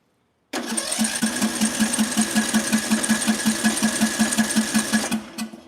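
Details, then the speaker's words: Small-engine ignition coil air gap set much wider than the recommended .010 in: it sparks weakly and cranks with even pulses of about five per second but never runs. No start, choke off. "It's sparking. Yep. It's sparking, but just what? Not enough to I I guess it's not hot enough."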